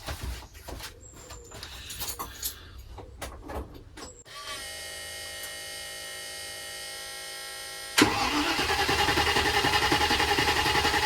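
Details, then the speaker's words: 1995 Range Rover Classic sat over 10 years, after replacing distributor cap and HT leads; clicks and steady fuel pump hum, then starter cranks evenly about three and a half times a second but never catches: crank no start. "no so she's still not starting H why would that be"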